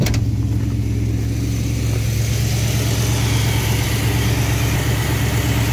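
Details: V8 with Thermoquad carburetor at baseline idle mixture tuning, in park, idle trimmed down about 50 rpm to 970 rpm, good vacuum, timing about 18–19°; steady, even idle, smooth low rumble, no misses or stumbles; healthy idle.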